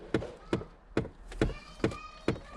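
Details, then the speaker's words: Long-sitting dusty car, just given a new battery: sharp, even clicks about twice a second from the HVAC blend door actuator, which keeps clicking; possibly draining the battery. "Okay, we've got a blend door actuator clicking."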